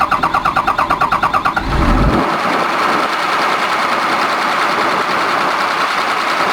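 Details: Komatsu diesel engine with low power, high vibration and white smoke: rough, uneven knock over the idle, then settling to a steadier rumble; cause unclear.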